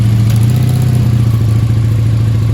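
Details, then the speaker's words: 1984 Honda V65 Sabre VF1100S V4, just started after sitting outside a couple of months: deep, lumpy burble at idle with uneven pulses and a faint clatter; owner says it isn't getting full gas and suspects dirt to work out. Rough idle. "okay we weren't getting full gas only neither that's weird she got some dirt to work out doesn't she"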